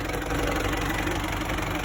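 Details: 1994 Isuzu Panther diesel, at 82°C with the thermostat refitted (none before): even, steady clatter without misses and no smoke; normal idle, idle and possibly nozzles still to be adjusted.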